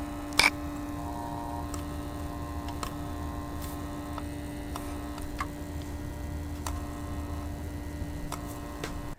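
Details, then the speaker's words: Thermalright Frozen Prism 240mm AIO pump at 100% with cover removed, microphone about 6 inches away: steady low hum with faint scattered ticks; gentle pressure on the unit's middle almost entirely stops it, suggesting housing resonance. "This is the same test with the pump cover removed. If we apply some gentle pressure to the middle of the unit, the noise almost entirely disappears."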